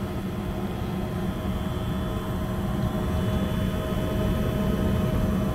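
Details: 90 percent Lennox furnace, after clearing a blocked condensate line and improperly primed trap that had flooded the inducer: even, steady hum, constant low drone, no gurgling or surging; normal furnace operation.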